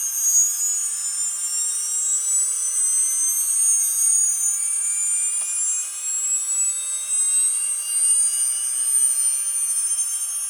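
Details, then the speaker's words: Atlas launcher gyro rotor spinning at full speed on 115 V AC with a 270 nF capacitor: a thin, steady high-pitched whine with hiss and rough overtones; very noisy rotor. "Okay, so let's turn on the power supply. Okay, so you can hear the gyro spinning, but it is very noisy at full speed."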